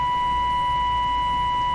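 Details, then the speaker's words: B&K CB bench setup: a 2040 CB signal generator overdrives the amplitude-modulation input. The steady test tone turns buzzy and harsh as the 1450 scope waveform squares off into sharp peaks, showing harmonic distortion from overdriven modulation. "Watch What Happens at the peak of this signal hear that hear that buzzing sound"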